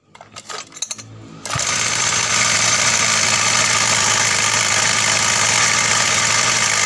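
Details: Small two-stroke mini motorbike engine at fast idle with a tinny, jingling rattle; the pull-starter pawls strike the flywheel fan, and the noise can be damped with rubber.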